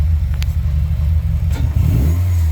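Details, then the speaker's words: Subaru STI EJ257 on flex fuel, wastegate pressure only with no boost controller fitted: deep rumble rises on a loud free rev, then a short airy whoosh as the blow-off valve vents a little; blow-off valve venting on free rev. "blow off valve I can get it to blow off a little I got to kind of have to rev it a little loud"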